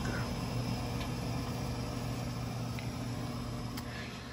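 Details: Burnham Alpine boiler, about 10 years old, with a hard lockout error 25 and no heat; low, steady burner rumble with soft fan hum and no booming or pulsing; normal firing.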